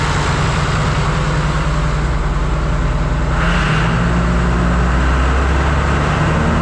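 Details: John Deere 2955 tractor driving repaired Case 600 blower via PTO, revs rising: steady low drone, pitch stepping up, no ticking or rubbing; normal running.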